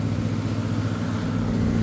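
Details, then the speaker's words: Whirlpool Cabrio HE washer at its fastest spin with the drain pump running: even, steady low hum with very little vibration, no thumping or wobble, room fans behind; a healthy high-speed spin. "all right spinning at its fastest spin you can see very little vibration setting this down you can hear it"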